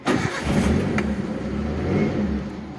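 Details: Daihatsu Zebra Espass started after cleaning the points and ignition under the distributor cap: fires straight away and settles into a steady, even idle with no misses or stumbles; normal running.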